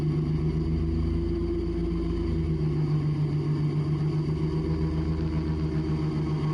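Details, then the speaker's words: Raptor prototype aircraft taxiing, nose gear without nose wheel steering: rapid, steady buzzing shudder under the engine drone from violent nose wheel shimmy, which stops below about 20 mph. "And in case you haven't already figured it out, that noise is coming from nose shimmy, from the nose gear, and at this point I'm just along for the ride."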